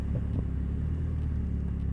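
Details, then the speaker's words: 2000 Nissan Altima, owned since 2010: deep, loud, uneven low rumble under steady running with no sharp knocks; exhaust leaking badly. "Oh, this car has a bad exhaust. It is leaking, so it's making a lot of noise."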